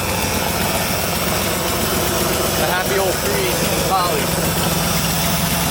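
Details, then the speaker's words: 1965 Dodge D-500 farm truck "Big Bob", first start after sitting seven months: rough, uneven idle with a steady low-air warning buzzer while the air-over-hydraulic brake tank, left open to purge, fills to 100 psi. "so that buzzing you're hearing is the air over hydraulic brake tank over here which i left open to purge got a closer up so now it's going to fill that tank up to 100 psi and when it does the buzzer will stop buzzing"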